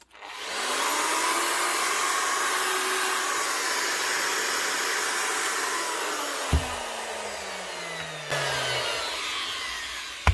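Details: Angle grinder under repair, test-run with worn, chewed gears and nearly worn-out brushes still fitted: a high, steady motor whine that winds down smoothly with no growl or rattle. The motor and armature sound healthy.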